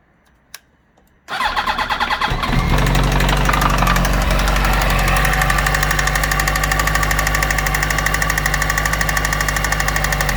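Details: 2008 Yamaha YZF-R1 (RN19) starting and settling to a fast idle with a steady, even ticking knock about three times a second over the exhaust; engine knocking, cause not pinned down.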